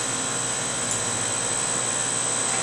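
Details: 2004 Carrier Aquasnap 35-ton air-cooled chiller, model 30RAN035, compressor running in staging with chilled water around 54.5°F: a smooth, steady hum with an airy rush and no knocks, rattles or surging. Normal operation.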